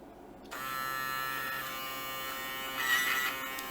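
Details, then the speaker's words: Samsung Jet 90 Pet vacuum turbo brush motor run on 15V bench supply: small DC motor spins up with steady even high whir, running normally, no knocks or grinding. "The engine is running normally, so nothing's happening here."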